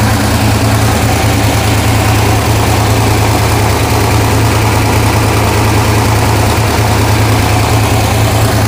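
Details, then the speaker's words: Neglected 1969 Plymouth Barracuda first started after sitting at least 3 months, held at fast idle around 1500 rpm: steady low rumble with uneven puffing tick; owner hears a bad noise on the side, hopes it's an exhaust leak. "okay I hear an exhaust leak I hope that's an exhaust leak come here I hear it yeah"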